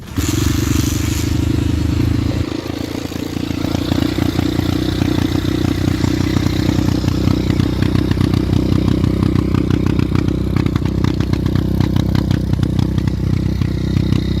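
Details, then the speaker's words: Xduro pit bike with a newly fitted Zongshen engine, started with the original kickstarter and recorded on a phone: after a kick the small single catches and runs at a steady, lively beat with light valve clatter; healthy normal running. "Mais bon, je vais vous faire entendre le petit bruit. Franchement, c'est pas mal."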